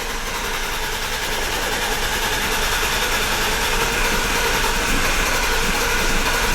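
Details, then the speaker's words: BMW E34 barn find, sat 10 years, after jiggling the battery connection: even, rapid starter churning with occasional ragged firing that never catches into idle. Engine fires but won't start yet. "i just okay i just did it and it kind of started firing oh"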